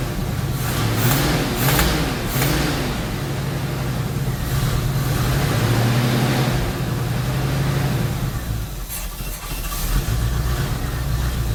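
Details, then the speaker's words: 1977 Chevy C10 Cheyenne 350 V8 Quadrajet 4-barrel, cold with no choke hooked up, after new spark plug wires: rough idle, running on all cylinders but popping through the carburetor; unchanged carburetor or its base gasket suspected. "but it sounds like it's running on all of them but it's still popping a little through the carburetor"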